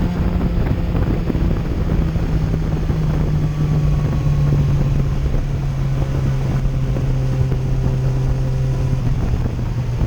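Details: 2008 Yamaha FZ1 while riding, after replacing the ignition coil that caused stutter and misfire-like hesitation below 4,000 rpm: steady, even engine drone under wind, with no stumble or surging; now runs smoothly.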